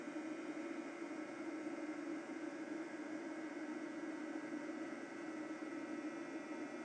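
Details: eFuel PSU30ADE bench power supply at under 10 W, even at idle, any voltage: steady loud hairdryer-like fan whoosh with low hum, fan kicking in at full speed because the unit burns 12-16 W constantly.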